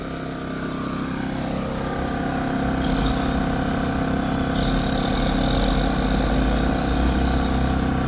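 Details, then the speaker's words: Champion 3400 W dual-fuel inverter RV generator at high, under-load rpm, heard from a distance with exhaust pointed away; steady even drone, not very loud, no misses, knocks or surging, running healthy. "so you can see it's not very loud at all and this is the best part on economy mode it gets even quieter"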